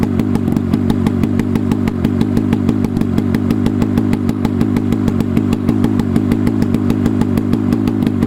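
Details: Rusty 440 Hirth snowmobile two-stroke for a 1972 Snowjet, run on a stand outdoors with no exhaust pipe and a swapped-in carb; sharp, rapid open-port cracks at a fast, fairly even beat, running on its own.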